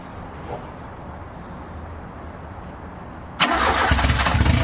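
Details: 1969 Ford Capri with Pinto engine, smaller-choke replacement carburettor fitted and idle jet holder swapped, after starter solenoid trouble: quiet cranking, then engine catches abruptly and settles into steady, even low idle with no misses.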